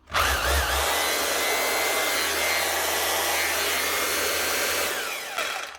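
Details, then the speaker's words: Makita HR2611F SDS drill from 2012, after replacing its burnt-out armature with a second-hand one from an HR2610: spins up to a steady, even high whine with no rattle, then winds down cleanly. The motor sounds healthy. "One Makita SDS drill, a HR2611F from 2012. 12 years of work done, up and running again with a second-hand armature out of a different Makita drill."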